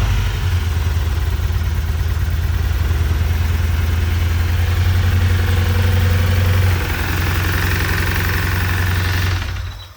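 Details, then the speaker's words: 1990 Honda CRX Si with B16A3 petrol four-cylinder, after cylinder four repeatedly filled with fuel from a faulty injector/wiring (injector since replaced): heavy steady knock from the bottom end at idle, then shut off; suspected rod knock, bottom end considered ruined. "you can hear the motor just knocking away so since that motor's pretty much going to be no good I have trashed the bottom end of this B16"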